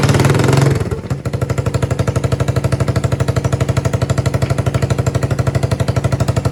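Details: Yamaha 225DR Tri-Moto under restoration, cold, choke given by hand: cranks on the starter and catches, then settles into a steady, even single-cylinder thump at about three per second; healthy running engine.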